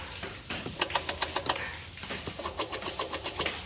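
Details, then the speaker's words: 1998 Mercedes W210 E320 V6 electric steering column: the tilt motor whirs with quick uneven ticking, three or four a second, but the column doesn't tilt, though telescoping works; the stopper in the tilt gear is broken. "you can hear the motor but it doesn't go up and down so the common problem is with the gear"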